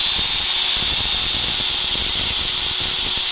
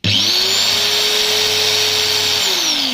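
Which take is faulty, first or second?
second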